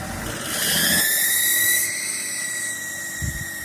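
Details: BMW X5 E53 3.0d M57 diesel: high thin whistle rising with revs then holding steady, loud between 1200 and 2000 rpm and worsening over half a year; owner suspects the turbo, source unconfirmed.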